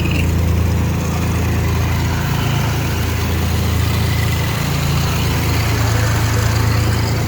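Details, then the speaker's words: 4.3 V6 at idle after tightening the fix: steady even low rumble with no knock, only a faint power steering whir; now runs great. "So what you're hearing right now is that, but no noise. All you're hearing is the power steering."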